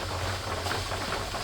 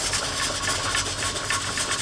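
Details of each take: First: Presto pressure canner processing raw-pack carrots, pressure building toward the weight's jiggle: a steady, even hiss of venting steam, normal venting. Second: Presto pressure canner with carrots: the weight rocks fast, three to four hissing pulses a second, with heat too high.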